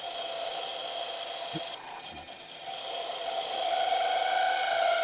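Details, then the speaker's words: Wood lathe turning a thin finial deliberately without tailstock support: a thin, steady squeal near 700 Hz over the lathe hum during the cut. The unsupported workpiece is chattering. "I don't know if would now I'm purposely going without the tailstock. You can hear the squeaking."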